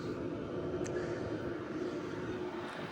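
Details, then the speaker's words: BougeRV portable diesel heater, side exhaust with ducting: steady, even combustion roar with smooth fan hum, no pulsing or rattles; running cleanly at full heat output. "Oh yeah. She's definitely putting out some heat now, boys."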